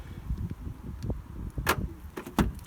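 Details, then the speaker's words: Renault Captur keyless entry with key on person: soft lock thunk and latch clunk, then door opening over low outdoor rumble; door handle button microswitch working normally, unlocking and opening on one touch. "the little button and open the door. Absolutely great. And similarly, when you walk away from the car, you can hear it there, the door locks."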